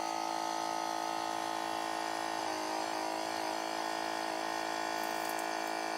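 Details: Waterpik water flosser running: bright, steady electric buzz with fast even pulse, about three beats a second, no rattle or strain; pump operating normally.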